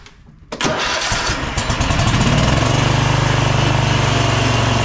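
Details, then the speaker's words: Bad Boy zero-turn with Kohler 7000 series KT745-3013 twin that bogs down under load: lumpy pulsing beat three or four a second; unplugging one cylinder brings no change, showing that cylinder is dead and the mower runs on one side. "Let's test these cylinders independently to make sure they are both working we'll unplug one cylinder see what kind of difference that"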